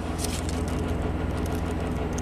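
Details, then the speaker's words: 2009 Chevy Traverse V6 GDI, 190,000 miles, misfire and timing codes, revved on test drive: fast uneven metallic rattle, Bank 1 cam command stuck high with large VVT variance. "I'm just gonna rev It Up right there you hear the rattle"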